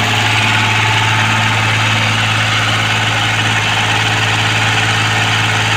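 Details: Komatsu PC-20 excavator, 3D84 diesel, after injector nozzle repair and fitting an electric fuel pump and filter, an hour later: steady, even idle with a firm low thrum, no knocks or misses; running healthy.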